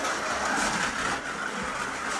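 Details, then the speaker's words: Scalextric Ford Anglia 105e Broadspeed slot car, magnet removed, otherwise unmodified, first run: loud rough rattling over a thin motor whine; hard, out-of-round tyres chatter on the track as wheels try to spin up. "I mean, it's loud. You can certainly hear that the tyres are not round and are a bit hard because it's chattering on the track and the wheels are trying to spin up."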